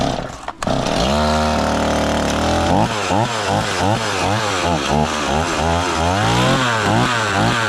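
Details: STIHL 026 chainsaw at first start after rebuild, with the owner unsure it will hold together: it fires quickly, settles to a steady idle, then takes repeated clean throttle blips with crisp rise and fall. It runs pretty good, though the owner says the idle doesn't seem really good.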